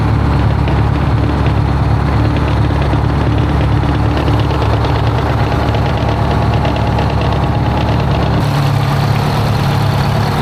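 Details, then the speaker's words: 1973 Freightliner cabover with straight-piped Detroit 8V71 two-stroke diesel at idle after blower reinstall, valve covers off, oil pressure present: loud steady idle with low rough throb and faint rub-like note near radiator, like the fan rubbing though nothing is there. "It's got a weird like sound to it. I don't even know how to explain it in the radiator area. It's like the fan is rubbing on something, but it ain't. There ain't nothing there for it to hit."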